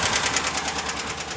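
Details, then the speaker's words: 2017 Chevrolet Silverado 6.2 L with AFM/DOD lifters, broken exhaust lifter on cylinder 4, passenger bank, old pushrod fitted: sharp metallic tick about ten times a second keeping time with the idle; collapsed lifter. "It's a 17 Silverado with a 6.2 liter, and I'll start it up just so you can hear why we're replacing the lifter."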